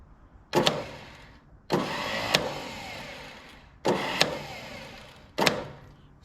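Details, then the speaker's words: Ford 6600 tractor, about 850 hours, sat about 8 years: four short bursts of high whirring without the engine turning over; starter spinning freely, suspected stripped starter teeth, not confirmed. "That would probably be if it sounds like the starter is working, that means the teeth teeth are stripped off the starter. That means she ain't start unless you pull it off."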